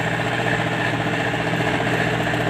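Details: MTZ-82 tractor diesel; hard, regular knock at idle on each revolution. A piece broke off a valve and fell onto the piston, leaving fragments on it.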